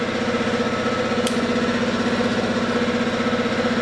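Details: 2012 Kawasaki ZX6R, wrecked bike being rebuilt, first start after hooking up the tip-over sensor, relay box and electrics: catches and settles into a steady, even idle with no knocks or misses.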